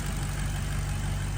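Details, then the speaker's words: Maserati GranTurismo wet-sump V8 (2007–2009), after repairing camshaft variator end-caps that rattled on cold start: steady, deep, even burble with no rattle or knock; normal smooth idle as it is supposed to sound. "okay so now after repairs that is how it's supposed to sound"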